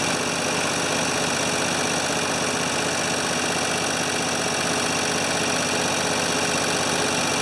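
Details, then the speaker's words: 1980 or 1981 Ford 2600 gasoline tractor after rebuilt carburetor, cleaned points, temporary fuel tank and new starter: steady, even chugging idle with no stumbles or misfires; runs normally. "uh well i guess when you replace everything on the tractor it uh it runs"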